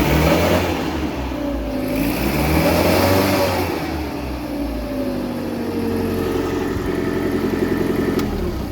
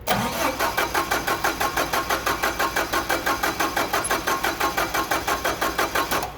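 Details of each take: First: Caterpillar forklift with EMCO system, hard start, after regulator work: engine runs with about 5.8–6 inches air valve vacuum, rising as throttle opens; picks up smoothly and settles back, no knocks or misses; normal revving. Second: CAT forklift, LPG, basic EMCO system, cranking with the throttle plate held open: steady starter chug, about three compressions a second, never catching. A vacuum leak leaves too little vacuum to lift the mixer air valve diaphragm, so no LPG enters; hard start.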